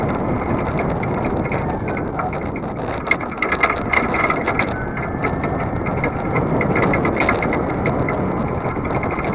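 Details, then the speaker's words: Trailer hitch on a vehicle towing a trailer, camera on the rear, cool day: fast, uneven metal-on-metal chatter at about three raps a second under steady road rumble, a loose hitch rattle. "You're going to hear the trailer hitch rattling like crazy. It's metal on metal, so it's going to do that."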